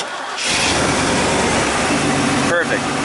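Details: 1996 Chevy K1500 4WD 5.0L V8 after a no-start traced to an empty fuel tank and a damaged fuel-rail Schrader valve: brief crank, catches within half a second and settles into a steady even idle, a healthy start.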